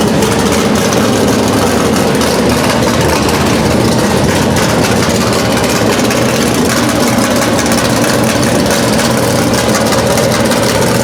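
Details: V8 first start on new Edelbrock Pro-Flo 4 EFI, injection not yet fine-tuned: deep, steady rumble holding an even, smooth idle with no knocks, misses or surging; running healthy.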